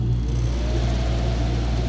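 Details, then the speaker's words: Early-1980s Airtemp air conditioner after fan bearing squeak repair; steady low hum and smooth fan whir, no grinding or squeal, not terribly noisy, a little loud up close, cooling normally. "but now it works without being terribly noisy um a little loud when you're closer that's just because i mean uh it's an air conditioner so there's some noise"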